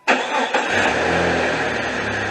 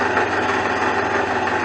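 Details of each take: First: 2001 Jeep Cherokee Sport 4.0 six-cylinder with the drive belt removed: catches right away and idles evenly with no knock, so the engine is sound. The knocking came from a failing power steering pump. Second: 2001 Jeep Cherokee Sport six-cylinder at idle, belt already chirping: steady idle with a faint, regular knock under the engine note, sounding like an engine knock but caused by a loose, failing power steering pump about to fall apart.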